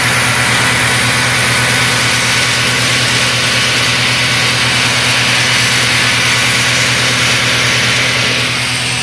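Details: Iveco alternator with overrunning (freewheel) pulley, suspected of slipping, on bench test; steady loud even drone with constant whir, no slipping or surging; the pulley did not slip this time, so the alternator is charging normally under load.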